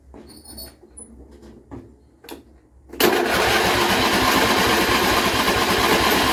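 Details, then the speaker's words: John Deere L120 lawn tractor after carburetor replacement, weak battery: after a few clicks, starter cranks steadily about three pulses a second without catching; a really long crank, hard starting. "Give it a little bit of throttle. Still a really long crank. It shouldn't take that long."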